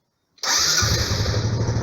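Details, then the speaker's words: 2012 Honda Biz EX 125 motorcycle, just bought: engine catches and settles to fast cold idle with a light regular tick from the clutch side of the engine; origin unconfirmed, owner asked mechanic. "é um take que faz aqui do lado da embreagem bem aqui o barulho que vem aqui eu vou deixar vocês ouvindo aí você consegue escutar o tech tech tech tech tech"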